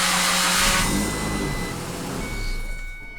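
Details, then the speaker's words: Ford Ranger starter motor cranking with harsh whirring grind and scraping as it spins down; noisy, dragging starter, removed for inspection, cause not stated. "como vocês podem ver eu tô com a Ranger aqui eu vou dar partida para vocês ver o barulho que faz ó"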